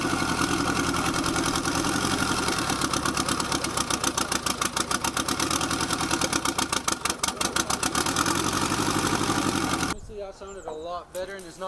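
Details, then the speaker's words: Boosted Nissan KA engine after adjusting ignition timing: engine catches and settles into a steady, even idle with no skips or stumbles, no longer misfiring at idle. "and it's not misfiring on idle."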